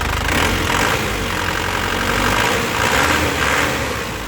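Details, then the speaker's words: Isuzu Panther LS Turbo 2018, first owner, about 80,000 km, hot diesel idling: steady, crisp, even firing with no knocking or thumping, the sound of a healthy engine. "kalau mesin sehat suaranya seperti ini l renyah khas penter Ya seperti ini ya"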